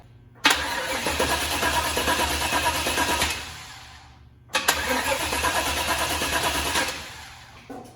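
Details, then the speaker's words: 1972 Chevy Suburban, first start of new crate engine and transmission; two cranking bursts of about three seconds turn the engine over but it never catches; crank no start, owner suspects no fuel being delivered. "Oh, I don't think I'm getting gas. Why are you not getting gas, baby? Why are you not getting gas?"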